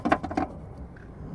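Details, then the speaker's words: Rear strut clunk on a MK1 Ford Kuga: four quick hollow knocks from play in the worn rear strut top mount. Not serious but noisy until a new strut is fitted. "Does it seriously affect the car? No really, but it's going to be bloody noisy. Listen to that clunking noise till I get a new strut."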